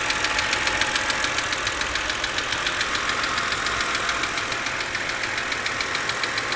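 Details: 2006 BMW 330i at idle: sharp, even ticking about 140 a minute over the idle, loudest at the driver's side front of the engine; intermittent, always at startup, lasting random durations; cause not yet found.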